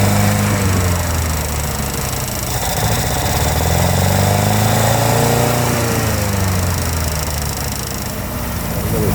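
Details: International Harvester Scout 80 barn find (1961/1964) that sat for years, fed gasoline, on choke. Low, pulsing four-cylinder idle drifts up and down; runs but not yet settled.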